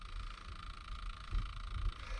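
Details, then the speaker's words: Hyundai Genesis at auction, heard in cabin: thin steady whine around 1 kHz from the dash over low rumble; a stuck CD first wondered about, then a bad air diverter guessed, unconfirmed. "what's that noise huh I wonder if there's a CD in there that's trying to come out"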